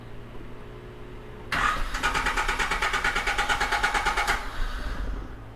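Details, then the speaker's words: Honda Civic just after an oil change, with throttle body cleaner sprayed into the intake while running. About three seconds of even starter cranking with no catch: a hard start. It later misfired, died and would not restart; the cause is not confirmed. "so it might take a little bit of cranking to start her up"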